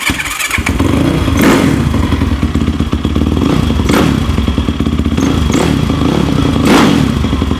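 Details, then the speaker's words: Yamaha YFZ450 quad idling: dull thump and clatter recurring every couple of seconds; owner dislikes the noise, cause not identified. "See, I don't like that noise it makes right"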